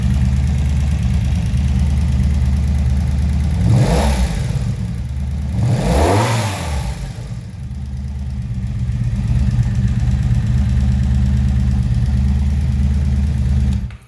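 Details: 1983 Honda Magna 750 V45 V4 after replacing the cylinder head and head gasket, following a broken valve adjustment screw that had bent a valve. Smooth, even idle with two clean throttle blips and no top-end ticking; normal revving.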